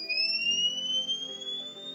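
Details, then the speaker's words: Wagon Tech Slimline 1500 W inverter: a continuous high-pitched electronic tone slowly rising in pitch, its alarm sounding because it was not powered down properly via the switch. "If you can hear that sound, I mean the inverter did not power down properly. So when I switch the switch, it automatically power down itself properly."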